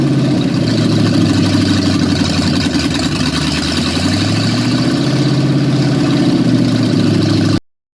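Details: 1953 Ford F100 V8 started after a repair for a hollow vibration, bolted to spec; even, steady idle with smooth low burble, no knocks: normal healthy idle.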